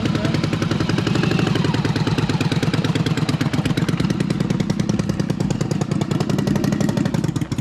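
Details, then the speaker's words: Newly acquired Yamaha Virago twin, choke partly on (runs best mid-choke), spark plugs thought okay: loud lumpy uneven choppy beat that never settles, sounds like it's struggling; cause unconfirmed. "Sounds like it's struggling."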